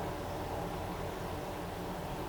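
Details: Trek with Bontrager freehub, wheel freewheeling: a steady, rough, grumbling hiss with no clean ticking. Bearings feel graunchy and tight, and the pawls have lost their spring.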